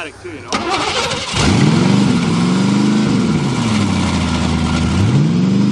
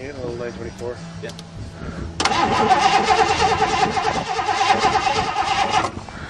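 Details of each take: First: 1986 Mercury Grand Marquis fuel-injected 5.0 V8, first start in five years after fuel pump wires hooked up right: short crank, catches and settles into a steady, smoky idle that rises and dips slightly but keeps running. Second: 1986 Mercury Grand Marquis fuel-injected 5.0 V8, not started in five years: starter churns the engine in long bursts but it never catches; fuel pump wired backwards, no fuel getting through.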